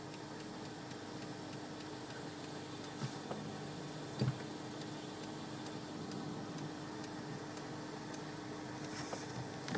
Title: mutilple ticking sound when brake pedal is depressed volvo xc60